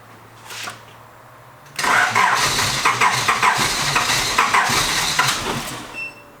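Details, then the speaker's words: Honda Prelude INX with 1980s aftermarket JDM remote starter, car sat for years: starter churns about four seconds in uneven bursts, never catches; cranks no start, unclear whether remote signal or long storage is the cause. "hmm can't tell if it's not starting because this isn't giving it some certain signal if it's not starting because it's just hard to start from sitting around for years"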